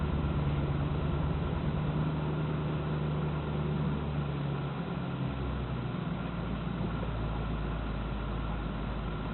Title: Alpina misfire.MOV